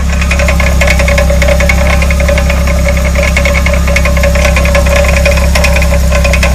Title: Rear hub rattle noise